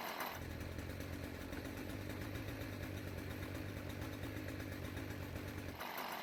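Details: Stihl string trimmer won't reach full speed: steady muffled buzz that never climbs to a crisp full-speed scream, caused by exhaust restriction from a carbon-clogged spark arrestor screen; after cleaning it reaches full speed and runs much louder.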